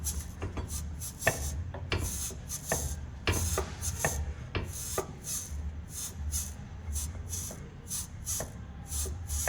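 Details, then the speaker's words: VW Gol-family suspension, disassembled, with the control arm (bandeja) moved by hand. Dry rasping creaks about twice a second as the worn bushing turns inside its sleeve; the noise gets louder with the car's weight on it. "Pessoal esse rugido aqui que ocorre e eu tô fazendo isso aqui com a mão apenas movimentando aqui a bandeja"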